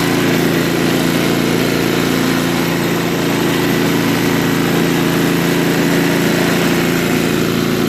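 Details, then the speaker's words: Craftsman 524 track-drive snowblower after a quick float bowl and jet nut carb clean (previously ran only on 75% to full choke), started electrically: even, steady small-engine drone at constant speed without surging or stumbling; running normally. "well it even runs well and idle no that's very good so we know that the starter works runs well at idle"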